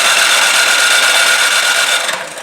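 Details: Craftsman 26 Quiet snowblower (model 247.886940, under about 5 years old), no-start even when primed with fuel on: steady starter whine cranks about two seconds and fades without catching; later traced to the carburetor.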